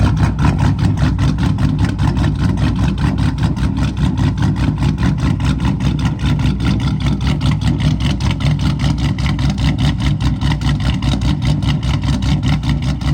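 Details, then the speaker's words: Dodge Charger SRT8 with 426 Hemi V8 idling on a hot day (90° reading): deep, steady loping idle with an even chop about twice a second, no knocks or misses, no blow-by; healthy cammed engine. "no blow by baby it's a good running engine right [Music] here it's a good running [Music] engine let's go hear that chop some more"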